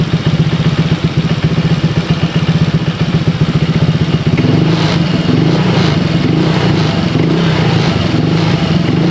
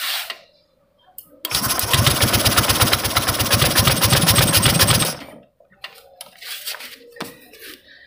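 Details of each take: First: Honda Vario 150 keyless scooter after a no-start repair, fuel pressure normal at about 40, radiator refilled: even, quick idle pulse of about four beats a second, settling smoothly with no knock; normal idle. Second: Honda Vario 150 keyless scooter that suddenly died and won't start, fuel pump pressure normal around 40: engine catches about four seconds with harsh rapid puffing then dies, smoke from a hose at the head; suspected leaking cylinder head gasket or worn piston rings.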